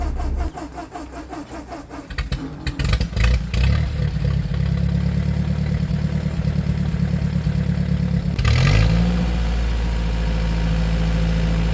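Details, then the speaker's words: Ford 8N tractor after carburetor adjustment. Uneven stumbling and coughing on the first rev, then a steady low idle and a clean rev with no cough; coughing on acceleration from carburetor misadjustment, now improved. "if you listen when I first started off and rev it up you hear that it chokes coughs out towards the end of this you'll hear when I rev it back up like straight up there's no cough there's no nothing so I think that I got it adjusted better"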